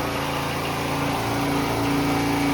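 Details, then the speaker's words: Generator that sat 5+ years with parts missing, after carburetor work and tune-up, about 3,600 rpm: small single runs smooth and even at a steady governed speed, constant tone, no hunting or misses; normal governed run. "I got it tuned up. Should be roughly 3,600 RPM now. Sounds good. That makes power."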